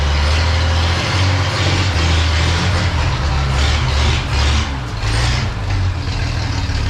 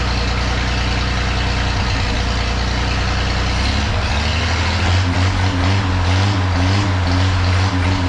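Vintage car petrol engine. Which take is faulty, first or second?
first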